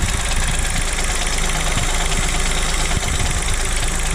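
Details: 2023 Chevrolet Onix LT turbo, manual, first cold start of the morning: loud, slightly rough idle with irregular dull knocks each time the brake pedal is pressed. The mechanic called it normal; the owner suspects a problem.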